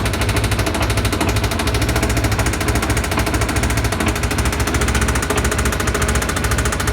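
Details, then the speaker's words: Kawasaki ZZR250 motorcycle engine that failed on the road and had to be trucked home: loud hard knocking about three times a second over the running engine; serious internal knock, likely bottom end. "не доехала до дому ехал на грузовике потому что появился вот такой вот шум вот такая вот беда произошла"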